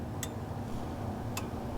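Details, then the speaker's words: 1961 Chevrolet Apache truck revived after 20 years parked: crisp light clicks over a low rumble, a fraction of a second to a second apart; flasher ticking normally, though the turn signal selector cable is not moving. "Hear the flasher. So, the signals do work, but So, the issue is is getting that wire to go up and down."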